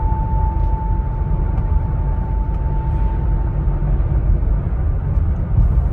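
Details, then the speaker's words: 2020 Ford Explorer, under a year old, about 12,000 miles, intermittent howl only between 39 and 42 mph: steady clear howl at one pitch for about four seconds over road rumble, then fades; driveshaft howl. "recently i had a 2020 ford explorer come in with an intermittent howling noise between 39 and 42 miles an hour"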